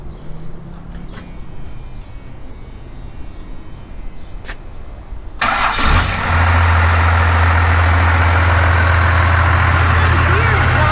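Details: 1978 Dodge crew cab dually, its 440 V8 swapped for a 5.9 Cummins turbo diesel: a few clicks, then it cranks and settles into a steady, even diesel clatter at idle. Owners remark it sounds a little weird and wonder if it is low on oil.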